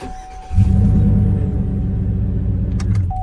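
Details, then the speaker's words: 2003–09 Chevy Trailblazer 5.3L V8, first crank after replacing a starter that had cranked weakly with a whine: even, clean pulses about four a second with no whine. Normal starter cranking. "See how smooth that sounded? That's it. That's a very smooth cranking."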